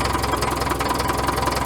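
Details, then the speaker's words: Caterpillar 922B loader diesel that sat over a year, just cold-started after about 20 seconds of glow plugs: steady, even idle clatter with no misfires or stumbles; engine healthy, warming up on the trailer. "that thing cold starts better than half of my good stuff let's let it warm up for a minute and we'll get this thing off the trailer"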